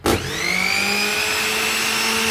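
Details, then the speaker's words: Usha mixer grinder, 230 V AC, after bush repair, running before final fitting: spins up fast to a smooth steady high whine, no crackle, no sparking inside, runs freely: normal high-speed run. "যান অনেক স্পিডে ঢুকেছে। আওয়াজটা আপনারা বুঝতে পারছেন তো আশা করা যাচ্ছে কাজটা উল্টে হয়ে গেছে এবং ভিতরেও দেখুন কোন প্রকার কোন স্পার্কিং হচ্ছে না।"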